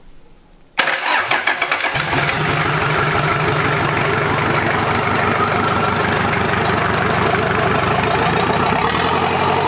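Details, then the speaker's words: Toyota LandCruiser 40 series B diesel engine, first start after rebuild: catches after a brief crank, then settles into a steady, even clatter with good compression and no knocks. Normal diesel start and idle. "i'm mighty happy with how the compression sounds in this motor and how it runs it sounds like an absolute peach"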